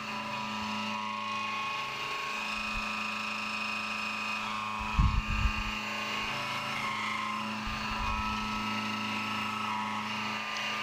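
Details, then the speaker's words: AR15 high-rail gas block profile pass, max radial width of cut about 1/8 inch only briefly; steady even spindle hum, no squeal or rising ring: chatter-free milling cut. "The maximum radial, the maximum wood cut is around 1/8 inch or something. But I wasn't too worried about it, just because it's not in that width of the cut for very long, and it doesn't really chatter."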